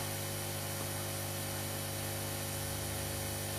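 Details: Aoyue 968 hot air unit after repair with a new heater and a new 1.2 ohm fuse resistor, following sparks and smoke: steady, even blower hum of constant pitch with no rattles or surging; running normally, temperature perhaps a tad high.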